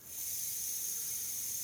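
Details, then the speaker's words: Pony bottle transfill through a budget adaptor on a first-stage regulator, pony valve fully open, fill slowly modulated at the source tank valve: steady high airy hiss, even and unbroken, normal slow throttled air flow. "so I'm gonna open the pony valve all the way and I'm gonna slowly modulate the fill using the outbound on this tank here so you can hear that there is a little bit noise"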